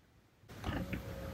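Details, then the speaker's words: Topdon TopScan scanner actuation test of HVAC damper servo: short roughly one-second whirring motor run with soft creak as the door moves inside the HVAC box; normal blend door actuator operation. "you hear that it moves the door inside uh inside inside the HVAC box"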